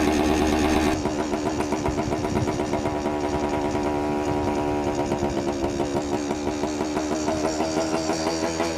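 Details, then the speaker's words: 1973 Suzuki TS250 two-stroke, a barn find revived after 20+ years: runs with a soft, lumpy burble and uneven firing instead of a crisp crackle. Too rich; the choke is thought to be left on. "I think the choke is still on. Too rich. Think I just need to adjust this car real quick."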